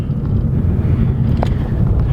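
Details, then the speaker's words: Red Ford Focus XR5 turbo five-cylinder, driving after front-end grinding was sorted; accelerating under boost with low, even engine drone and wind rumble, no grinding or clunks: normal acceleration. "Yeah, because I'll accelerate here, you'll hear it all. Just boost, no grind."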